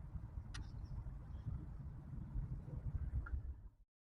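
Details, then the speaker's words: Moose on a night drive after fixing the rough running that began with the new radiator install: steady, even low engine rumble with no misfire or hesitation, running much better with more throttle response; normal running. "we took it for the little night drive that you saw everything worked well it's running hella better really enjoy it"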